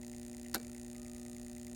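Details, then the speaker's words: 1968 Corvette fully mechanical clock with solenoid auto-winder, after disassembly and oiling: steady hum, sharp tick midway, loud snap as point closes coil and winds ratchet spring; previously not working, now running normally. "the point makes contact and closes the coil and widens the ratchet there's a spring on there get right in the center see moving slightly so the spring is keeping the clock operating"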